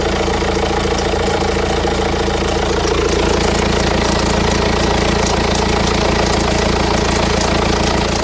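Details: 2007 BMW 118d diesel, 115,000 miles, at idle: rough regular knocking clatter about two beats a second over a low drone, engine cover shaking; owner suspects timing chain noise, not confirmed.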